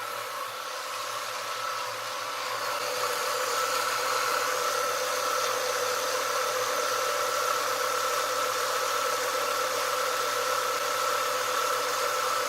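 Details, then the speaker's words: 1996 Ford Mustang idling after AC compressor replacement (old one had a bad pulley), switch overridden and AC on defrost: quiet, even idle with faint steady whine, no knocks or misses as compressor kicks in; sounds good. "you can see now it's kicking in sounds good"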